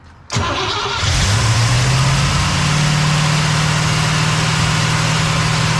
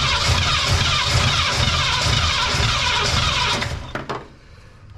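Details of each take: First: Cadillac "Lil Debby" after fuel system diagnosis, pump now pulling fuel from the tank (possible vapor lock without return line): starter whirs, engine catches and settles to a steady even idle without stumble; much better, return-style filter to be refitted. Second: Cadillac "Lil Debby" with carb, new fuel pump, line blown out to the tank: starter cranks about three turns a second without catching, then stops; no fuel reaching the engine, possible tank issue suspected.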